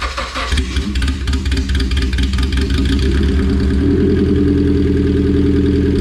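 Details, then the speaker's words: All-motor Honda build, first start before dyno, five-month-old gas in tank, radiator not yet filled: catches after a short crank and settles into a steady, even idle with a low throaty note; sounds healthy. "so i'm gonna go ahead and try to bump this thing off and see if it'll start"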